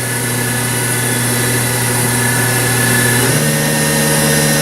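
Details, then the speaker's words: Haas VF5D/40 vertical machining center after a warm-up program, spindle ramped in 10% steps around 1500–2000 rpm: smooth, even hum with a clean tone stepping up in pitch about three seconds in; healthy spindle. "It's nice and quiet here, so you can kind of hear it running."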